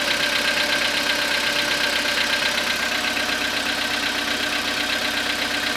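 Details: Skoda Rapid 2014, CFNA 1.6 petrol, 27,630 km, cold start after overnight parking at −0.5 °C: steady cold idle with sharp even tapping at constant pace, present from start-up; knock cause unknown.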